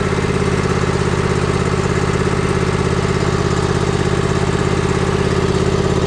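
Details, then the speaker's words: John Deere Z355E mower, first start right after an oil change with the new filter still filling: a steady, even thumping idle with no misses, knocks or rattles. "Okay, contact. Fired right up."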